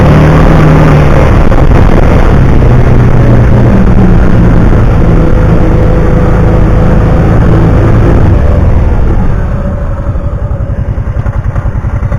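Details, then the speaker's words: 2009 Kawasaki Teryx 750 fuel-injected, after the fix (nail inserted in center section) for backfiring and power loss when warm: strong even drone under throttle, then clean regular idle, no popping; runs perfect. "well there she is that's after the fix runs perfect"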